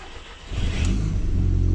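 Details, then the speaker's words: Audi TT, first start attempt: brief crank, uneven catch with a slight misfire and stumble, then revs smoothly; second start fine; G40 sensor fault code stored, G40 later replaced, cause suspected. "this is the issue that we've got is the first attempt to start in first attempt at starting nothing here slight little misfire"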